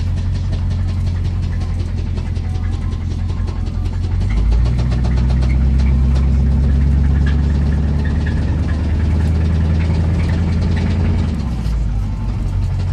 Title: 85 Chevy Silverado driving with engine knock 2